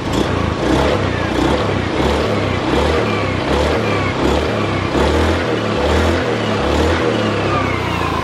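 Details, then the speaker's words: Honda Scoopy FI that smoked a month after a rebore, now with a Honda Blade KWB piston, doubled base gaskets and a new filter; firm even exhaust pulse on throttle blips, no smoke: normal revving, slight roller-housing noise. "Nah, suaranya ya, mesin halus, cuman di bagian sini rumah roller sudah ada sedikit bunyi, sudah mulai bunyi ya."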